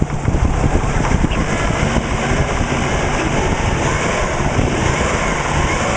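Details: Subaru Legacy with WRX flat-four engine at idle: fast, hollow knocking through a low, uneven rumble. Owner suspects piston slap; unconfirmed.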